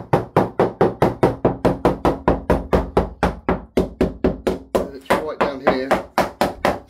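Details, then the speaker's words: Balsa-cored GRP yacht after hitting a fixed post, inside the hull: sharp hammer taps about four a second turn dull and dead toward the end because the tabbing of the forward bulkhead has detached from the hull. "Taping in here is gone. All the tabbing in of the bulkhead at the front here is gone."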